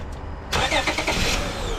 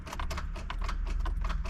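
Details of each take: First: 2005 Honda Odyssey after starter replacement (previously only clicking): brief crank that catches quickly and settles into a steady idle; cranks and starts cleanly. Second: 2005 Honda Odyssey, key cycled: quick, sharp clicks about six times a second with no cranking as the starter solenoid tries to engage; owner concludes the starter needs replacing.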